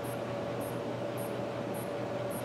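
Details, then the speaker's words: HP All-in-One PC that won't power on, rear power LED dark: faint high chirp repeating about every 0.6 s over steady hum as the adapter cycles; apparently a strong short at the board input. "vemos que aparentemente el corto por el corto está en la entrada y es bastante fuerte porque está impidiendo pues que funcione el equipo"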